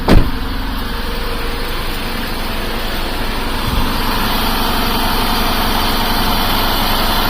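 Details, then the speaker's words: 2008 Buick Lucerne CXL 3.8L FWD with code P0300, shaking and hard to start, with no spark at the coil for cylinders 3 and 6: a rough, uneven, stumbling idle; multiple-cylinder misfire. "Let's start it up. This thing runs like crap."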